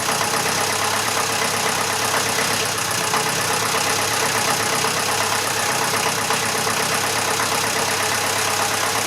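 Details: Massey Ferguson 35 (835) tractor with Standard 23C diesel engine, first start in over a year after start fluid, fuel and oil added: steady, even diesel clatter holding one speed with no knocks or misses; normal healthy idle.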